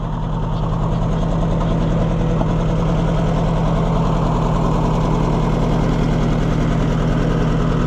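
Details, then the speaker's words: Oliver 550 tractor running with the choke out: uneven, lumpy idle with a soft stumble about twice a second over a steady exhaust beat; one cylinder dead and misfiring, possibly from a bad spark plug. "I don't like the way that's running. It's got a miss in it. Yeah, it's got a problem."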